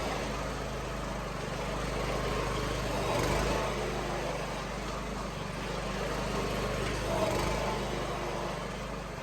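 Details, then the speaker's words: MTD rear tine tiller converted from Briggs & Stratton 8 HP to Honda 11 HP GX340, running after the swap: steady single-cylinder chug at a fast even idle, smooth exhaust beat, no knocking or scraping. Normal running. "so there you go my MTD rear time tiller we're finished the conversion from uh Briggs and Stratton eight horse to a Honda 11 horse it absolutely starts and runs great super happy with that"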